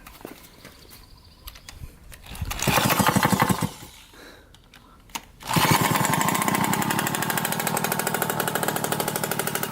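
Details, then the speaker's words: Yamaha YSR50 two-stroke after fixing its running problem (flywheel swapped, new stator to be ordered), idle tuned: brief rev then even quick popping idle holding steady; running properly. "all right let's attempt to start it up I think we've got tuned up pretty good on the idols pretty good see here"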